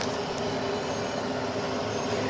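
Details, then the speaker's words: Carrier Infinity 96 (58MVB-080) two-stage gas furnace starting in heat mode: the inducer motor spins up to the speed needed to close the low pressure switch, a smooth, steady hum with no grinding or bearing noise; normal inducer motor startup. "now as you can hear the uh inducer motor speeding up to the required RPM needed for the uh close the low pressure"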